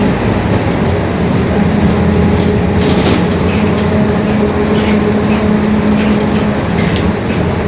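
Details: 2021 Marcopolo Torino S bus on Mercedes-Benz OF-1721 Bluetec 5 diesel chassis, extended length, onboard at cruise: over road and engine rumble a low droning hum comes and goes, a growling rear differential.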